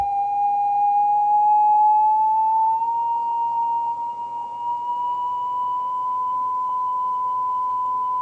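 Clean test tone creeps up in pitch, then holds steady at about one kilohertz, so the tape speed is now correct.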